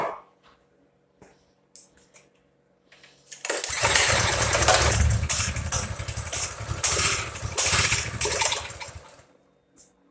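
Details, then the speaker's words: Stock Coleman BT200X bike in winter, unrun for a couple of months and not starting reliably (owner suspects a plugged carb), fed brake clean: quiet pulls, then the little single catches first pull and runs with a busy, even buzz for about five seconds before cutting out. "And yeah, I just want to hear it run because it hasn't run in a couple of months, and I don't know, that's not right."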